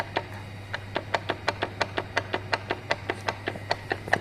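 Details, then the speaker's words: Hyundai Accent (TagAZ) manual gearbox on the bench, turned by hand, giving sharp regular knocks about five a second from the differential. The car knocked on pulling away as the clutch was released, even after new drive shafts and CV joints. Something inside was found broken, likely from the knocking. "звук у нас дифференциале где-то [аплодисменты] плюс еще обломило короче тут обломило скорее всего за этот стуков она и выломала"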